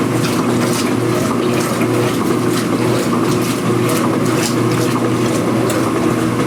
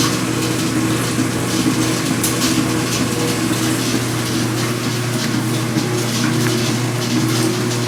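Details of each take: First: Speed Queen washer after repairing its loud agitation rattle and cleaning underneath, recorded with the microphone near the camera: an even swish and motor hum during agitation with no rattle or knocking. The machine is now quiet. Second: Speed Queen washer during agitation only, not spin: loose metallic rattle like shaken pennies over the agitation hum, from a dry vibrating washer on the spindle; fixed by greasing it, accessed from underneath.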